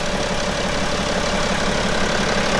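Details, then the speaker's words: 2011 BMW X5 35d M57N2 diesel at 130k miles after lower timing chain repair, fully assembled, near operating temperature, no fault codes, heard under the hood: a steady idle with even, fast clatter and no knocks or misses; it runs smooth. "So let's give it a try. Let me show you under the hood. And it's running smooth in my opinion."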